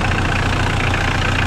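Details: Mitsubishi L200 K74 diesel idling while warming up after a boost leak fix, with throttle body gaskets replaced by instant gasket: steady light clatter, even rhythm, no hiss or whistle from a boost leak. Normal idle.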